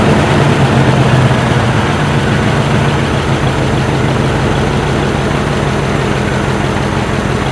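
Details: 1968 Chevy C10 V8 just revived after sitting 15–16 years, running on old fuel: deep, steady idle with a fairly even low rumble and no knocks or ticks on top; good oil pressure, engine running normally.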